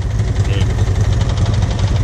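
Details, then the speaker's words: Can-Am Renegade XMR 1000R ATV engine at idle, after riding a flooded, filthy off-road park: low, lumpy idle with steady, evenly spaced knocking. Riders suspect low or dirty oil, possibly a leak; not confirmed. "Yeah. Yeah. That thing's knocking like it's low on oil. Dirty oil."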